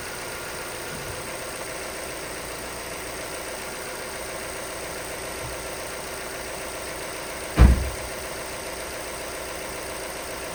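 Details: Vauxhall Astra salvage rebuild, first start after non-start, fault codes 24 and 59 still present and coolant needed: quiet settled idle, steady low hum, one brief bump; engine doesn't sound too bad.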